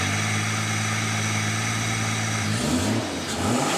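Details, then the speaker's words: Ford Bronco after finding a plugged vacuum line tied to the washer bottle line that feeds the heater controls: a smooth, even idle, then a clean quick rev with no stumble. It is peppier and no longer cutting out. "oh that's way peppier way I mean it still doesn't feel like it's full potential but it's not cutting out on the top end"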